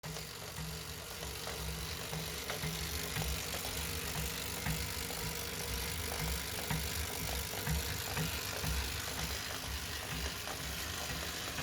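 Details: Wahoo Kickr 2018 trainer: steady whir with a faint, regular knock about once or twice a second, plus occasional sharper clicks.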